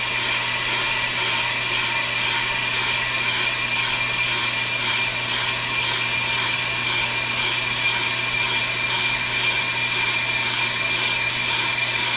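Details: Pro Cut on-the-car brake lathe machining a brake rotor with the chip deflector fitted to damp ringing: a steady, even cutting hiss over a constant low hum with no ringing or chatter; a clean cut.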